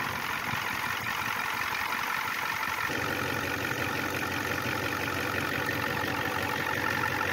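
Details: 1994 Ford F250 turbo IDI diesel after replacing fuel injection return lines and O-rings, started with air cleaner off to check leaks: steady diesel clatter at even idle, no misses or knocks, no leaks; normal idle.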